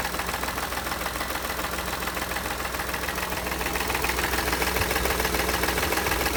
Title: Bruit Moteur - عندي هذا الصوت في محرك السيارة